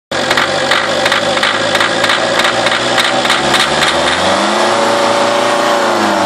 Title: mini diesel engine knock